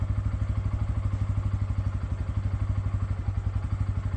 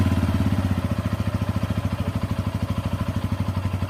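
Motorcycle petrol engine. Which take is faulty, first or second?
second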